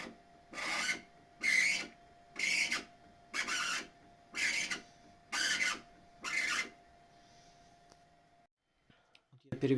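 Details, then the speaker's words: Bambu Lab X1 Carbon 3D printer: seven raspy squeaks, about one a second, as the bed moves, slightly louder moving up; belt drifts and rubs the upper or lower flange of the tensioner idler pulley. "При перемещении стола появляется противный скрипящий звук."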